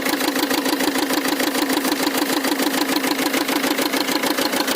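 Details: XUV with a starting problem: sharp, regular clatter at about three beats a second over a thin idle with no bass. Abnormal engine knocking.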